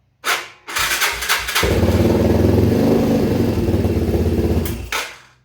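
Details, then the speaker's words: 2011 Yamaha Raptor 250 single, bought not running, no airbox: a couple of cranking bursts then catches and runs a steady even thump on choke; sounds basically healthy, earlier noise possibly the starter. "It doesn't sound bad. Is all that noise I was hearing the starter?"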